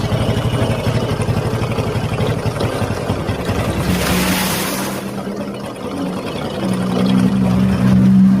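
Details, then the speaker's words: Honda Supra X 125 motorcycle idling with a rough, rhythmic metallic crunching, about four a second, inside the clutch housing, louder and harsher when ridden; mechanic suspects a worn bearing in the clutch area. "nah seperti itu ya bunyinya ya teman-teman seperti bunyi krucuk di itu kendalanya dibawa jalan itu semakin dasar bunyinya"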